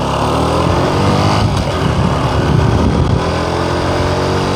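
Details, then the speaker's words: Honda Supra X 125 Karisma under full throttle uphill: the engine screams at high, flat revs but the bike pulls slowly. The cause is worn centrifugal clutch shoes, whose linings are nearly flat with the grooves almost gone, slipping. "Nah di sini pada saat kita gas ini motornya itu tidak langsung jalan ini motornya itu teriak baru jalan kita coba lagi jadi suara motornya Yang kencang tapi larinya pelan"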